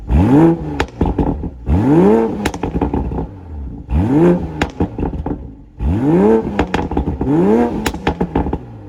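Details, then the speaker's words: 2020 Toyota Supra rebuild in sport mode with the exhaust valves open: sharp revving blips and crackling pops and rumble on the overrun, a healthy, not overly loud exhaust. "man this thing sounds so good it has that pop and rumble it kind of sounds like the f-type r the f-type power pops just like it"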